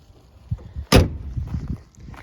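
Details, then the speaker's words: 6th-generation Honda Accord (1998-2002) hood that wouldn't close, fixed by pushing the spring-loaded latch piece down with a flathead screwdriver: a single sharp clack as the hood drops and catches; latch grabs cleanly and holds shut. "Take your screwdriver, place it directly on this piece that has a little spring on it. Push it. You hear a click. And it will click on down."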